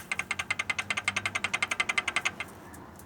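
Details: Peugeot 206 1.0 16-valve engine, oil pan off, oil light on and oil pickup clogged; rod rocked by hand gives quick light metallic clacks, sounding like valves or piston up top but really connecting rods loose from worn bearings. Connecting rod bearing play.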